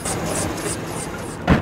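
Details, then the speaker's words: Government-auction truck at idle: a sharp chirp repeating about three times a second. Belt squeak; the bottom pulley is visibly wobbling, and the owner suspects the idler pulley needs replacing. "Just a little bit of, you hear that belt squeak? Yeah, just that one bottom pulley, I don't know if you can see it, is wiggling around there a little bit. Might be that idler pulley needs to be replaced."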